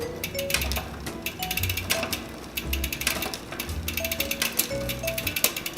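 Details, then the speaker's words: SRAM NX rear derailleur on Bianchi Nitron 29 mountain bike, shift cable pulling too much, adjusting barrel being threaded in; quick irregular metallic ticking from chain while shifting, still slightly over; derailleur chain noise from over-tensioned shift cable. "It's still a little bit over, because you can hear it making that chain noise, so you'll thread it in some more until it gets quiet,"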